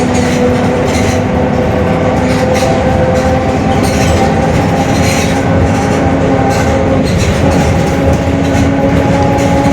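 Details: Mercedes-Benz OF-1721 Bluetec 5 extended urban bus, Mascarello GranVia Midi 2014 body, built 2021, while cruising: a steady low drone with a higher whine rides over the road noise. Differential growling is suspected, not confirmed.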